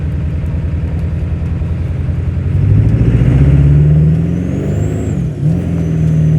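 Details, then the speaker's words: 1997 Powerstroke diesel truck with a hard-starting problem, after being driven hard on the highway: a deep, even drone that rises and settles smoothly with no misfire or stumble. It is running perfectly now; the owner doesn't know the cause. "it's running perfect now I don't understand this"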